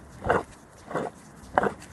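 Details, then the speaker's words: 2017 Ford Transit Custom at about 40,000 miles, driver-side driveshaft turned by hand: three short rough growls from a worn bearing by the diff, which caused loud noise at 70-80 mph. "it was in the diff it was the bearings here if you hear it so this bearing is gone causing a lot of noise when you're driving down 70 80 miles"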